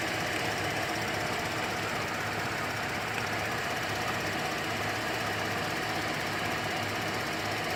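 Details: 2008 GMC Acadia SLT, key restart after auto start squealed then shut off violently: steady busy metallic rattle over idle, owner suspects failing pulley bearing; rattle at idle.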